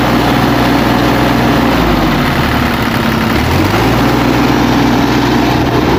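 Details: Kubota KX033 mini excavator diesel engine idling steadily with an even low throb and no misses or knocks, after a no-start caused by slimy, gelled fuel from the storage tank clogging the fuel filter and water separator.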